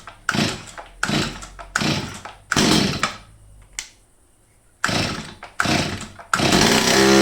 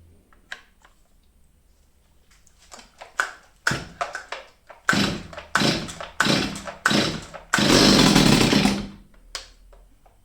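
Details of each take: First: Old STIHL 023 chainsaw, stored two years, after cleaning and carburettor adjustment: repeated crisp bursts to full throttle about once a second climb cleanly without bogging; the saw runs healthy at full throttle. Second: Old STIHL 023 chainsaw, unused over two years, fires in short revving bursts that sag and die; seemingly starved of fuel.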